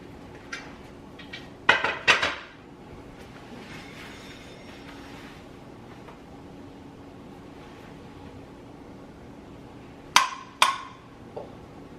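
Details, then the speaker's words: Pressure canner cooling after home-canning corn, with the lid lifted: sharp metallic pings ring out in pairs over a low steady hum as the unbranded gold-top jar lids seal normally. "They're a gold top and there's no name on them, but they are loud when they seal."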